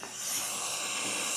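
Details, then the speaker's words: Engine running under the hood after similar O2 sensor readings on both banks and a single code: a steady, sharp hiss of a vacuum leak, traced to a broken vacuum hose. "Okay, I hear a vacuum leak. Yeah. Wow. Can you guys hear that vacuum leak?"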